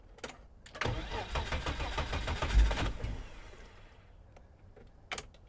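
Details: 1987 BMW E30 325i, first start attempt in a long time with fresh fuel: starter churns about three seconds with uneven compression pulses, nearly catches then dies; cranks but won't start.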